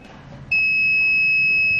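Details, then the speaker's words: Multimeter continuity test on a PCB: after silence, a clean, steady high-pitched beep holds on probe contact, showing continuity with no obstruction to current flow; the continuity tester is working properly. "Ahí está está funcionando muy bien nuestro multímetro"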